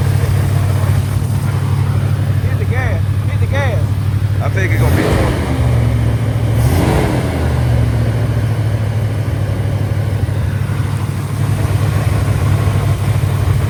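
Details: Mustang 5.0 V8 with an owner-built carburetor, air cleaner off and a vacuum gauge below the base plate: low idle loping a little unevenly, then two quick throttle blips around five and seven seconds. The carburetor still needs adjusting; suspected.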